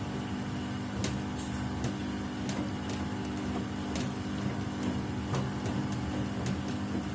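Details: Samsung WW75TA046TE/SP washing machine, replacement unit on its 6th day of use, during a wash: steady low hum with sharp irregular knocks about every half second, louder with each wash; source unclear.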